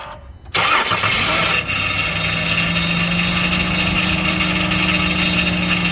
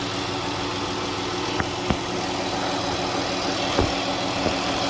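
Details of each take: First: 2012 Chrysler Grand Caravan 3.6L after a no-crank fault traced to a shorted alternator: a harsh scraping screech over cranking before it settles into idle; the flywheel is suspected to be scraping something. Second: 2012 Chrysler Grand Caravan 3.6L, after replacing an internally shorted alternator that cooked cables: smooth, even idle with only a few stray ticks and no sizzling or rough note. Runs normally now.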